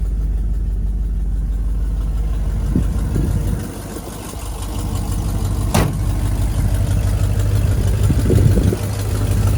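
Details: 1973 Chevrolet G20 factory camper van: steady low V8 idle with faint fast puffing tick; slight exhaust leak, left unrepaired.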